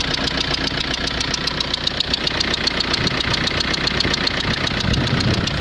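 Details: Renault Scenic 1.9 dCi diesel at idle: a steady, sharp tapping about 2.5 times per second rides over the clatter, a knock in the engine; the owner suspects an injector.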